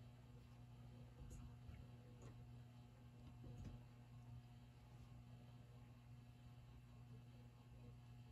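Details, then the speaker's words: Late-1970s/early-1980s ERS American Art Series ceiling fan, speed control rotated to an in-between setting: quiet constant low electrical hum with slight buzz; fan sometimes complains at random intermediate speeds; motor hum, cause unknown. "if you listen closely you can hear a noise too got a buzz to it yeah sometimes this fan complains when you try to run it on uh some [Music] random speed like this"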